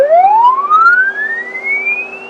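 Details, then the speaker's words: CB radio transmitting a swept test tone, heard on a Yaesu FTdx3000 monitor: the tone rises smoothly but is buzzy and slightly distorted at the low frequencies, holds a good modulation level, then thins out and goes away near the top as the highs roll off. "but you'll notice there is distortion you'll see how the waveform is slightly distorted at the low frequencies it levels out stays at a good modulation level and then eventually it just goes away"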